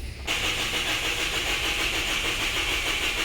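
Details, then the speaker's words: Flood-damaged Toyota Vios, ignition and injector supply fine but fuel pump voltage dropping: the starter spins steadily with a high whirr but the engine never catches; failed circuit-opening relay inside the fuse box, which needs replacing whole. "Ayan mga boss bale hindi pa rin siya gumana Kasi kahit may supply doon sa kanyang pump Nagkakaroon siya ng voltage drop Kaya kailangan natin to palitan ng fuse box kasi ung circuit open relay niya ay nasa loob mismo ng fuse box"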